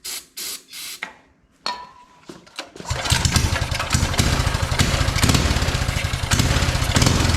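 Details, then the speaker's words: Mini bike with spark confirmed: a few sputtering pops, then ragged, uneven running that only continues while brake cleaner is sprayed in; won't run on its own fuel, carburetor setup suspected; fuel starvation. "so it does not want to run on the fuel that is in it clearly it's only running when I give it some brake cleaner here"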